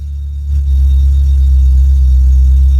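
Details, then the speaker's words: A petrol engine on a black Golf GTI settles into a steady, even idle with a low, smooth rumble, no knocks or misses, starting at 12 volts after a new alternator was fitted: normal idle. "are actually nice and smooth as well."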